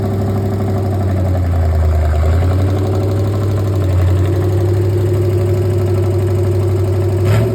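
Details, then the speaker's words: 1964 Chevy 283 V8 in a 1981 Jeep CJ-5, first start after a budget build, choke kicked down manually: an uneven idle with a light, fast tick about four a second; suspected loose valve lash, rocker arms may need adjusting. "It's a little tappety. I may have to adjust some of the rocker arms, but I figured that might happen."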